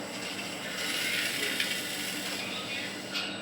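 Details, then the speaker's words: Sewing machine motor, after being disassembled and reassembled to cure a humming noise, run at a low setting of 40 (full speed 4000): light, even whirr with no hum or rattle; normal motor run after repair. "তো এখন 40 দিয়ে একটু চালাম যাতে শব্দটা একটু কমে। 40 না দিলে সাউন্ড কমবে না। দেখেন, আপনারাই দেখেন সাউন্ড ঠিক আছে"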